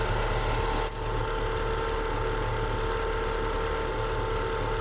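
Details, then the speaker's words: Haval/Hover H3 (Great Wall) engine after timing belt that had jumped 4 teeth was reset, valves not bent: first start, smooth even idle without the earlier diesel-like knocking, before warm-up. "Работает достаточно ровненько. Сейчас прогреется."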